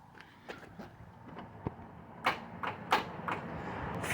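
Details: 1970 Plymouth Fury III convertible, 318 two-barrel V8, after cleaning starter spade connectors and reinstalling starter: irregular single clicks, one or two a second, no cranking; starter lacks current from a flat battery.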